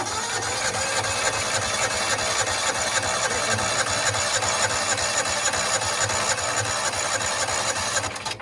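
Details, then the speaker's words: John Deere Gator 4x2, unrun for years: even cranking at about three and a half beats a second that never catches; no vacuum felt at the hose; failed vacuum fuel pump, later replaced with an electric pump. "It should be stronger than that. Tested the vacuum line. I put my finger on top. Couldn't feel anything out of the hose."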